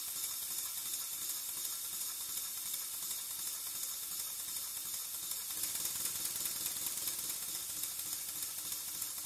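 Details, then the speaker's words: Pennsylvania A3 switcher model steam locomotive running on air after re-setting valve timing at both ends of stroke: hissy, fairly even chuff about 167 a minute, no lame beat, running much more square though not perfect; one valve suspected slightly uneven. "It's not perfect, at least to my ear, but it's definitely running a lot more square than it was."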